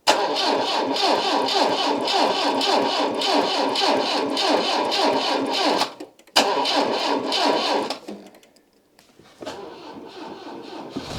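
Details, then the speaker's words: 1989 Citroen CX 2500 GTi fuel-injected, off the road since about 2007: rhythmic cranking at about three and a half beats a second for six seconds, catching only with some throttle; noisy belts; hard start with long crank. "oh there we go just needed a bit of throttle which is not normally needed on a injection car"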